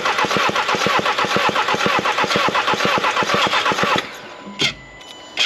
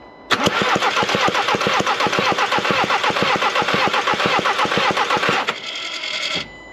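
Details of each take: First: Skoda Octavia vRS mk3, compression test on a slightly flat battery: steady cranking at about two even beats a second; cylinder 2 reads 12.5 bar, which is fine, versus zero on the first cylinder tested. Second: Skoda Octavia vRS compression test on cylinder 1, the previously diagnosed problem cylinder, with injectors in and a slightly flat battery: five seconds of fast, even, airy cranking with no firing and zero compression on cylinder 1.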